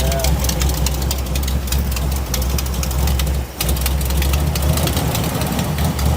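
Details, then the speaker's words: 1963 Chevrolet Impala V8, power steering not hooked up: cold idle with a fast, even ticking chatter over the low rumble; cause unconfirmed. "yeah you checking I'm just hearing what that that noise is it's got a lot of [Music] [Music] chatter"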